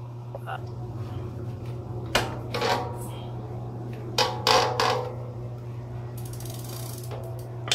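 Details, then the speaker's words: Bicycle square-taper crankset with Shimano crank, worn left crank arm interface: sharp irregular clicks with pedal strokes, worst when standing and then relaxing; arm loosening over time, fix is replacing crankset with HollowTech bottom bracket. "talagang may lagitik guys, lalong lalo na pagtatayuan mo, yung tipong magre-relax ka."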